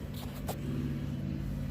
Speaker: has a short pull but you only get about two pops in each pull but that's that motor